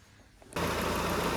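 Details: Chevrolet Lacetti petrol engine after rebuild, re-checked after reassembling camshafts, timing and new cover gasket: catches and idles with faint regular knock about seven beats a second; suspected bent connecting rod, not confirmed.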